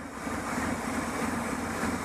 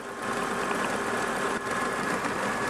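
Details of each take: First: Idling engine with a faint airy hiss from a vacuum leak causing a lean condition; short-term fuel trim about 20%, long-term 16.4%, the computer adding fuel to compensate; smoke test planned. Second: Engine idling after new fuel injector seals fixed a vacuum leak behind a lean condition, soapy water sprayed on the injectors: steady even idle, no fizzing or hiss, no leaks found.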